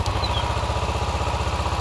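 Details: 2012 Kawasaki Ninja 650 during a starter test with a meter on the starter lug, expecting 12 V: deep, steady rhythmic churning with even pulses and no stumbling; normal starter cranking.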